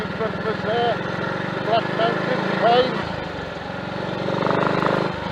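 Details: Triumph Tiger Cub single on a frosty-morning ride after fitting new carburettor slide, needle, needle jet and main jet to cure rich mixture and misfire; even thumps pulling away under load, no misfire.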